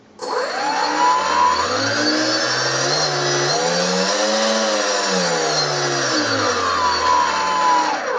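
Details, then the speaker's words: Brushless out-runner prop motor on a Skywalker RC model, before balancing: whine sweeping up and down with a low buzzing drone that swells at certain rpms and fades at others, from an unbalanced rotor shaking the resonant motor mount. "now when I run the motor on the model the dot on the world turns into an oval shape the new state is more of a horizontal line"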